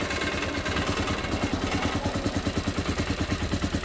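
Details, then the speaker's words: Ecuadorian motocarro (cargo tricycle) idling after its electrical fault was repaired: even beat with a tinny metallic rattle on every pulse, about three a second, from the exhaust joint, whose nuts need tightening. "Ah, miren, es la unión del escape. Cale ajustar un poco estas tuercas."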